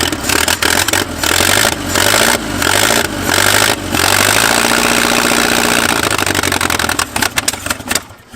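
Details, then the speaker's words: Abandoned 1950s-60s Willys Jeep truck on second attempt with choke held closed: engine catches and surges unevenly, cutting in and out before dying; very rough misfiring, points then found poorly sanded, possibly running on three cylinders. "Dude, it runs. It runs terrible, but it runs. At least I did for a second."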